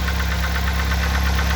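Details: 2004 Mazda Tribute / Ford Maverick 2.3 L engine, about 189,000–193,000 km, cold start with normal oil pressure, new chain, sprockets, tensioners and plugs: steady low idle rumble with light regular knock tapping; owner unsure if crankshaft or camshaft.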